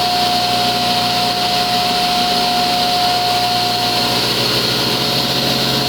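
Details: Restored 1987 Delta Unisaw table saw with a 3 hp single-phase motor, brand-new arbor bearings and belts, and a magnetic starter, runs a steady, even hum with a clean constant tone and no rattle, rumble or bearing growl; normal running.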